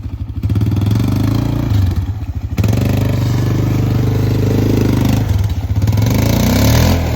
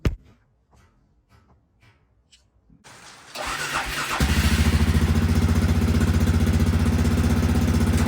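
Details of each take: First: Arctic Cat 400 4x4 ATV single-cylinder, muffler baffles previously cut and drilled out: loud, hollow, echoing exhaust through blips and idle, with small backfires on throttle lift-off. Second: Arctic Cat 400 4x4 ATV with new homemade glasspack muffler made from stock muffler: cranks, catches and settles into steady even low thumping idle; clean, healthy, not obnoxious exhaust note.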